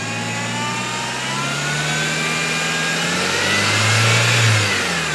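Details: 1.8T engine: thin high whine over idle climbing in pitch with revs; engine bay whine, source unknown.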